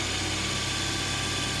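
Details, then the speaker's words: 2006 Suzuki Vitara during MAF/MAP sensor testing, engine held at 2000 rpm: steady even drone at raised speed, no knocks or misses; MAF voltage rises slightly; normal running. "so I'm gonna have Anton in the car bring it up to 2000 RPM and see what kind of changes we get we should see our voltage should come up because there's going to be a little more air flowing across that sensor"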